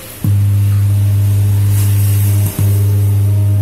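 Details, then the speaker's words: JDL active speaker with hum fault: loud steady low mains hum, briefly dropping out once, from a failed TDA2030 power amplifier IC, which is then replaced. "Nah, seperti itulah kerusakannya. Mudah sekali. Ini rusaknya biasanya di IC-nya ini."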